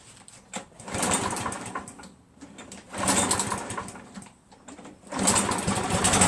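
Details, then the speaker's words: Craftsman 7 hp self-propelled mower, primed, with Mechanic in a Bottle added to the fuel: a single-cylinder engine surging up and dropping away in uneven bursts, never holding speed. Owner says it ran fine before the additive and now hesitates; cause unconfirmed. "I hate to say this but I think it runs worse remember before I put the mechanic in a bottle in there I mean when it started it ran fine but now that I got mechanic in a bottle now it hesitates"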